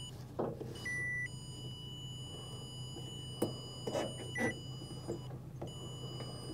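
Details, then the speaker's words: Bobcat S175 with no power to the cab, wiring harness traced with a tone tester: the steady tone jumps to a different pitch at one spot, where the harness looks like it may be crushed. "aha's see how I can we can hear the tone but it's not consistent that's crazy so now we're getting a different tone it's almost like there is kind of a smushed spot here in the harness"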